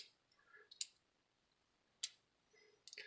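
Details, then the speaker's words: Lionel postwar rolling stock (3-dome Sunoco tanker) standard truck coupler after working in: a few crisp, light metallic clicks as the coupler snaps open and shut, releasing cleanly with no sticking. "That's all it really needs. You can work it in like so. And already it's releasing the coupler much"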